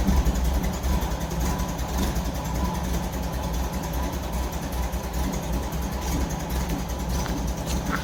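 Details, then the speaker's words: 1964 Volkswagen Beetle air-cooled four-cylinder at idle, oil pressure light on at start then out: uneven, lumpy idle with an irregular low thump about 2.5 per second; owner suspects it may not fire on all four, not confirmed. "well as you can see the uh oil pressure light has gone out but it was on when I first started it but it really doesn't sound happy um I'm not even sure if it's running on all four cylinders because it sounds quite lumpy"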